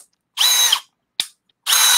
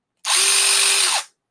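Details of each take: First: New Milwaukee M12 FUEL Gen 3 1/2" brushless drill/driver: two high-pitched bursts of motor whine with a harsh grinding edge under heavy load. Gearbox grinding, seemingly caught between speed gears; cause unclear. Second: New Milwaukee M12 FUEL Gen 3 1/2" brushless drill/driver: smooth, even high whine for about a second, steady pitch from spin-up to stop. Motor and gears running normally.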